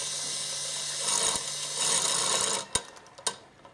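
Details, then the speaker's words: Sunnysky 2212 980kv brushless motor number four on a 360mm Squirrel 360 quadcopter, Naze32 controller, F-30A SimonK ESC, motor test: steady high-pitched whir, correct spin direction, clean spin-down; normal motor. "yep that's spinning correctly and motor number four it's also spinning in the right direction"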